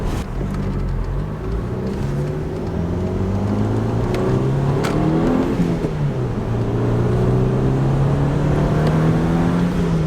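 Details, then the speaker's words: VW MkV GTI on a test drive at operating temperature, with turbo muffler delete, new charge piping and ECS coilovers: pulls hard through the gears with a clear rising whoosh and whistle over the exhaust; normal turbo spool, louder after the muffler delete. "all right turbo noises yeah ever since we did turbo muffler delete and all the charge piping and Etc that thing really"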